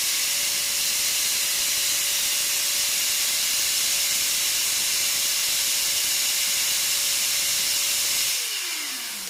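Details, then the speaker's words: Multipro ESP99HP electric spray gun reassembled after bearing replaced with a better-quality one; steady mid-pitched motor hum under strong air hiss, initial pull about 480 then stable 450–460, gliding smoothly down at switch-off; normal motor run, seemingly faster with new bearing. "jadi dia setelah kita ganti dengan bearing yang lebih bagus jadi putaran dia makin ini kelihatannya ya kelihatannya dia makin makin kenceng nih karena bearingnya semakin bagus nih ya"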